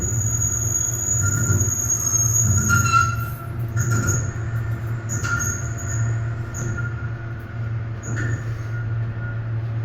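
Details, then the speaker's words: Excel hydraulic elevator (originally Schindler MT, Monitor TR1500 fixtures, floors LL–3) in a parking deck; high-pitched dry rubbing squeals come and go over low rumble while moving. Speaker suspects guide rails not lubricated; not confirmed. "No, they didn't put WD-40 on the guide rails. That's why. That's why the Schindler was doing it too."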